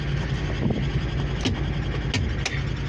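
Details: Ford truck, 188,153 miles, with a known exhaust leak said to cause a miss, just started. A rough low idle with occasional sharp puffs; exhaust leak with misfire.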